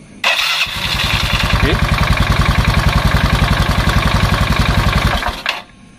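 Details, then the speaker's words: Yamaha Mio carburetor scooter, starter button pressed with the brake lever held, after checking the starter wiring: a quick starter whirr catches at once, then a steady, fairly rough thumping run for about four seconds. Starter works normally. "bisa didengarkan di sini stater nyala normal untuk suara mesin kita abaikan karena Titin suara mesin lumayan kasar"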